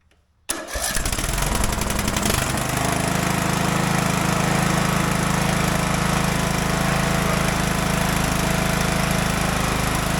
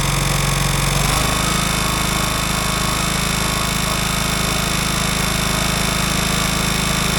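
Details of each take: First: Craftsman DLT 3000 riding mower, shroud off, after refitting the original starter with a new Bendix: engine catches quickly and runs smooth and steady with no squeal or drag, then winds down cleanly. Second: Craftsman DLT 3000 riding mower: engine runs at a steady fast beat with a rough chatter and faint ring. The owner suspects a poor starter Bendix and plans to swap the starter; cause is unconfirmed. Abnormal noise while running.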